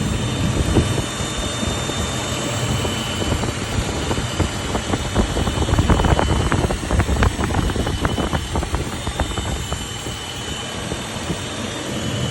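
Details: 80 series Land Cruiser running with a thin, steady high-pitched whine and some irregular clicks; the source of the whine is unidentified.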